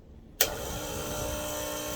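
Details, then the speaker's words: Cimbali M20 Junior espresso machine vibration pump, outlet hose removed from diverter valve: buzzes on and holds steady hum with no water delivered; owner suspects clogged one-way valve, pump needs cleaning. "okay this should be water coming squirting out of this we're not getting anything okay so the water that was Dripping was actually coming from the heat exchanger okay so this tells me the pump needs cleaning"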